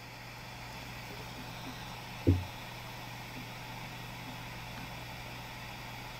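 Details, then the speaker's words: iPhone 4 video recording held without covering microphones while owner talked: faint steady hiss with low hum and a small click, no voice recorded, from faulty noise-cancelling microphone. "So now when I play this video, you're going to hear that windy whooshing sound instead of my voice."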